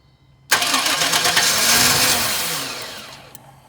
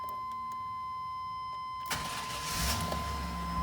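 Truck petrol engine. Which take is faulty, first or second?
first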